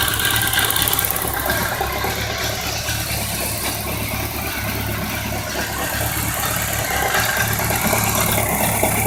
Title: Bmw k 1200 rs, 1999. Knock and ticking noise